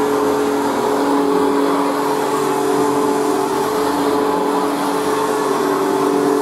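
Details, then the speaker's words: Machine boxed for about 40 years and not run in years, on its third position: a steady high motor whine with a faint scratchy hiss, heard on rundown, from brand-new carbon brushes still bedding in; otherwise runs very well. "so there we have it so it runs very well actually and considering it hasn't been run in years their carbon brushes in the melter meter sitting because of course it's brand new so that's the scratching noise you can hear azan on rundown"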